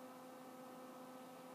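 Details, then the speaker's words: Z-Tech Lt. Kernal Commodore 64 hard drive powered back on: only steady cooling-fan hum with a few fixed tones, no spindle whir or head seeks; drive not spinning up, cause unknown. "for the moment turn this back on and listen to the cooling fan and not much else"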